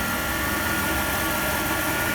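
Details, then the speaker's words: Jeep Commander 5.7 V8 4x4, 13 years old, 115k, warmed up at idle: even idle with a thin, steady whine riding above it that doesn't change pitch; owner believes the power steering pump is whining. "I do hear a little bit of accessory wine I'm sure y'all hear that too but there's no way to see anything going on down here"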